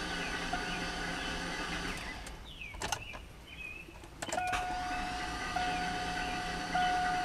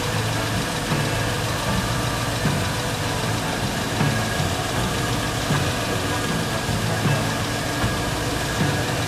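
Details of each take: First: Garage-rebuilt LS engine, cranking on starter with spark plugs out to prime unprimed oil pump as battery runs low: steady free-spinning starter whine, no compression pulses, drops out briefly then resumes; oil pressure came up. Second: Garage-rebuilt GM LS engine at first start after the oil pump was primed through the pump plug: starts quickly and settles to a deep, steady, even idle with no knocks or misses, about 58 psi oil pressure, coolant circulating in the reservoir. Normal idle.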